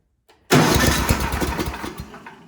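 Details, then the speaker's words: Ariens snowblower sat years in barn, spark and valves confirmed OK, starting fluid shot: cranks, sharp burst, sputters and dies within two seconds; runs only on starting fluid, carburetor not feeding fuel. "So just give it a little shot of starting fluid. And I suspect when I try to start here, it'll pop off."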